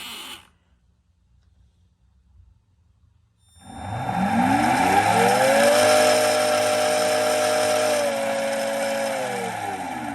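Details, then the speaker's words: Dolphin Nautilus Plus pool cleaner self-test after re-soldering loose brush-board wire in impeller motor: silence, then both motors spin up to a steady hum and step down from 26 to 17, then stop; normal motor run. "There's the two different speeds. Move to 26 and then down to 17 and then stopped."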